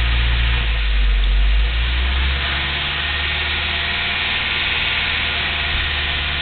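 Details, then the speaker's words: Engine held near 1000-1100 rpm, throttle jumps about 400 rpm when feathered: fast, even, nasty tick over engine note; source not pinned down. "curious if you can hear that. pretty nasty tick. It's just strange."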